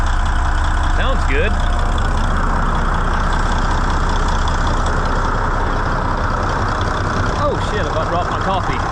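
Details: N14 Cummins diesel with a new ECM, manifold pressure sensor code 433 not yet fixed: it settles into a steady, even low idle with no misses or stumbles; starts far easier than with the old ECM; a normal idle.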